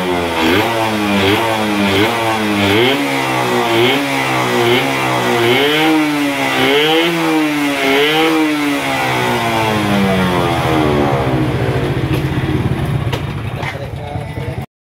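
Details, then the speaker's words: F1ZR 110 two-stroke, original ignition, coil and carburetor, with air filter rubber fitted: buzz blipped about once a second; it bogs and won't take full throttle with the filter rubber on, revs freely with it off; cracked carburetor body leaking air. "tapi motor gak mau narik gas ngempos banget ya tapi kalau dibuka karet filter udaranya motor bisa digas enteng"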